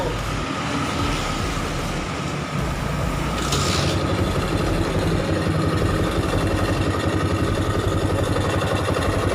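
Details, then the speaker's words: 2008 Yamaha Jupiter MX 135cc after engine teardown and cleaning: steady even single-cylinder putter at idle, no knocks or ticks, no symptoms; smooth normal idle. "Mulus bosku, Semuanya mulus, tidak ada gejala, ya normal."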